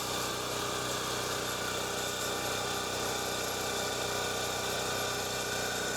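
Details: Champion generator running on fresh premium gasoline after being fixed up, left to run out of fuel before storage. An even, steady drone holds one speed without surging, misfiring or knocking; running smoothly.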